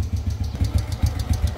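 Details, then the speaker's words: Honda Wave A100 motorbike at idle: a quick, regular light tick over the low thump. Sounds like loose valve clearance: valve train tapping. "đây trước màn hình là con w a100 mà n Tôi đang nổ đây mà máy nó đang kêu các bạn nhá"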